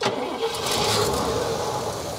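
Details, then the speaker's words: 1969 Cadillac Eldorado with 21,000 original miles, first start after sitting 20 years, with a new fuel pump, metal fuel line and pre-pump filter: it catches and settles straight into a smooth, steady run without stumbling. Normal running. "man that runs so good I cannot believe that"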